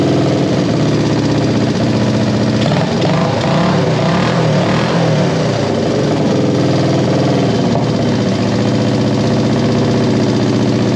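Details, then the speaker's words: 1973 Honda CB350G twin after Mikuni VM28 carb kit install: steady, full, even idle with no misfire or stumble; sounds pretty good, only fine carb adjustment needed once fuel came through. "sounds pretty good sounds pretty good let's hit it again i need to tweak it a little bit but now that we've got fuel to it take a little while to get some fuel to it"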